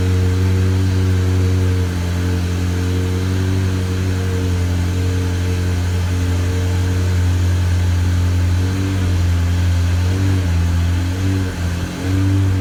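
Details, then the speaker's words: Engine at idle with slightly uneven pulse and occasional stumble, sounds weak like running on one cylinder short; misfire, owner suspects bad plug wire or plugs, cause unconfirmed. "a little bit of Miss usually stay like that know what's going on you have a bad plug wire or something you get that a little miss it sounds weak when we run out in seven cylinders right now"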